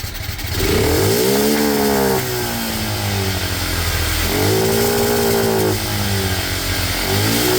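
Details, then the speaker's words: Cheap monkey bike (small single, new head gasket, still smokes) after raising the carb needle one notch richer: blips rev up but climb lazily and are still slightly boggy on pick-up. The air-fuel screw is to be adjusted next. "Okay, it seems a little bit better. Still a bit boggy, so we're going to be just adjusting the air fuel screw."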